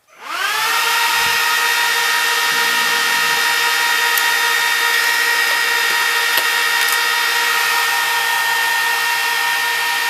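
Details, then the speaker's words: Trash-picked Dell PowerEdge 1750 server at power-up, its 14 fans spooling within half a second to a loud steady high rushing whine with no surging; normal fan noise at full speed. "so that's what that's what uh 14 fans sound like when they're on full speed"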